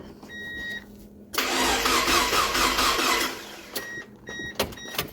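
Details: Mazda Miata with freshly rebuilt 1.8 BP engine, first start after sitting a decade: a few dash beeps, then about two seconds of steady cranking that never catches; crank no-start while no fuel pressure is being traced at the fuel pump.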